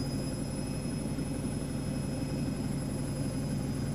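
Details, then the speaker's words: Brandt 7 kg 1400 rpm washer (max 1489 SF) that failed to spin, ramping up progressively toward 1400 rpm: a steady, even drone with no thumping or knocking, the drum balanced and spinning normally. "et on va monter progressivement jusqu'à 1400 tour minute en attend que ça se fasse"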